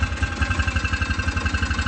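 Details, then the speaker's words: Hisun Vector 500 4x4 UTV idling after replacing the auto air control valve: single-cylinder thumping idle, rpm dipping and coming back up in a slow hunting pattern; surging persists. "so we got juice it's still out's a little funny as you can hear it seems like it drops down and then it comes back up"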